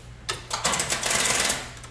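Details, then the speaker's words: 3rd-gen Camaro, just running after a fuel pump rebuild, now with a dead battery: fast dry clicking starter chatter for about a second with no cranking or firing; the flat battery can't hold the starter in. "Although the battery might be dead, I just had it running, but the battery might."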